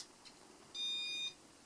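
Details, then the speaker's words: Casablanca Panama 5 Inteli-Touch ceiling fan, c.1984, original RMM1 control, bearings recently replaced: one clean high beep at power-up as the fan cycles through speeds; normal, control works flawlessly. "this is another one of those early Intellletouch fans where as soon as you turn the power on, the fan starts cycling through the speeds."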